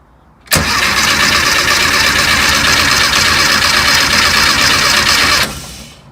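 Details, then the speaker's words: Volkswagen Beetle being restored, first crank with key, no fuel in tank and fuel line completely dry: starter spins engine steadily about five seconds but it never fires; crank no start from fuel starvation. "Okay, so there's no gas, so let's just see if there's any in the fuel line."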